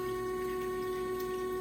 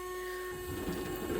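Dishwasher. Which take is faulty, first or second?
second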